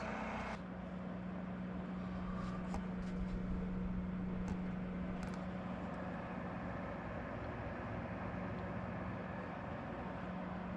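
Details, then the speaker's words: Cooluli Concord 20 liter mini fridge with both original loud fans replaced by Noctua fans: soft steady low hum at one even pitch, no rattle or buzz; gentle, quiet, normal fan running. "this is making a sound but it's so gentle and so quiet"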